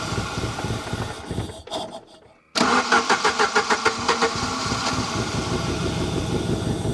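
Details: Saab 900 Turbo Commander, Bosch K-jet injection, abandoned 10+ years, running on own fuel: cranks, catches, runs unevenly with loud pulsing surges before steadying, kept alive by lifting the airflow plate by hand; owner suspects fuel pressure not reaching pump.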